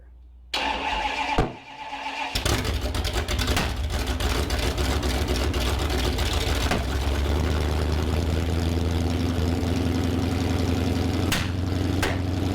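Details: Freshly rebuilt Mopar 360 small block from a 1974 Plymouth Duster on first start and flat-tappet cam break-in. It cranks, catches and runs loud and lumpy, misfiring badly with the timing not right, because two plug wires were accidentally swapped.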